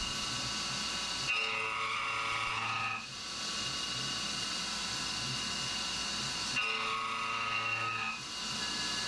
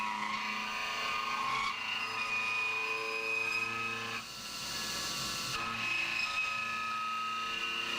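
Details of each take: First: CNC roughing an AR15 high-rail gas block at 1900 rpm (spindle override at ten percent, down from 2125): steady high-pitched ringing squeal over the cutting noise, coming and going each pass; mild end mill chatter, 2125 rpm would chatter more. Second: CNC cut on an AR15 gasblock, variable width up to about 1/8 inch deep, spindle lowered to 1700 rpm: steady high singing cut with only occasional faint chirps; much less chatter, normal milling cut.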